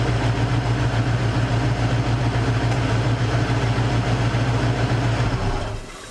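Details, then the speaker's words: Mercury Cougar after misfire fix: smooth, even idle with no stumbles or misses until shut off; exhaust smells better, misfire gone. "Yep. Misfire's gone. She sounds good."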